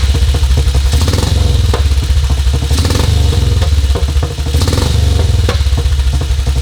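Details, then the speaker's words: 1952 BSA M21 single with ignition timing set at 28: thumps along at a steady, even idle with no stumbles or misses. Normal idle, much smoother than at 36; carb mixture screw not yet checked. "28. Leave it at that, I think. Yeah. That's much smoother on the other."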